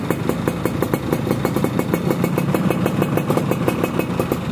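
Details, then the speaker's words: Yamaha F1ZR two-stroke after restoration and re-porting, new non-original Mikuni KW1 carburetor, cold after sitting several days, weak battery, kick-started first try; crisp, even popping at steady fast idle, about seven beats a second, no misses; normal idle. "motor kondisi dingin ya, beberapa hari nggak dinyalain, tapi sekali kita sela langsung cekreng ya."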